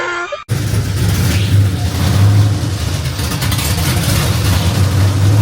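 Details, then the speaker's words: Truck with fresh LQ9 6.0L V8 swap (LS3 heads, TBSS intake, long-tube headers), first start on starting fluid: loud, deep, lumpy V8 rumble running steadily after a brief cut; owner suspects fuel trim needs tuning. Normal running after first start. "Well, there you guys have it. Finally turned on with starting fluid."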